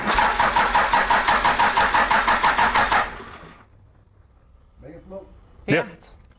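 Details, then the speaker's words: Cummins 6BT diesel swapped into a Jeep Wagoneer, first crank after cooling system fitted, a fuel return-line leak suspected: steady cranking about three beats a second for three seconds, cuts off without catching; even compression, normal. "but now that we have cooling system we're gonna crank it up Emilie's gonna get teared for the first time and it may fire right up"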